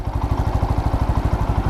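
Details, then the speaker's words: Motorcycle after service, fully warmed up, earlier engine noise now gone: a hot single-cylinder idles with a smooth, regular beat of about eleven pulses a second and no clatter or knock; normal idle. "आवाज में फर्क है मतलब जो आवाज पहले आया करती थी ना वो अब नहीं है तो इंजन जो है साइलेंट हो चुका है"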